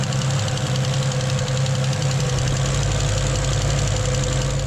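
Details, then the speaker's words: 1974 Holden HQ wagon: steady fast light ticking over a low even idle that doesn't fade while oil begins reaching the rockers; sticking hydraulic lifter. "it's still ticking away a bit but I'll just let him run like that we're starting to see some oil coming top of the rocker there"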